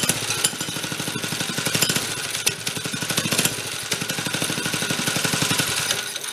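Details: 1965 Corvair Monza SS go-kart (Rupp), small single-cylinder engine long unused, no choke, makeshift air cleaner fitted: fires in quick pulses, then stumbles and sags as throttle is eased, a throttle flat spot.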